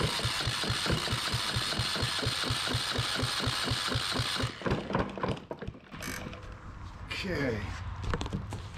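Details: Yanmar 1GM single-cylinder marine diesel from a sailboat: steady, even chuffing at cranking speed for about four seconds, never catches or speeds up; cranks, no start.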